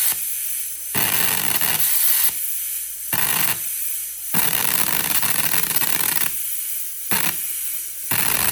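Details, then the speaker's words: Plasma cutter powered at 120 V by a Taramps 12,000 W car amplifier, on thinner metal: the cutting hiss starts and dies every second or so in irregular bursts. Arc keeps cutting out; cause suspected, not confirmed. "Well, this thing is really, really, really, really struggling to hold an arc at 120 volts uh even on something thinner like this."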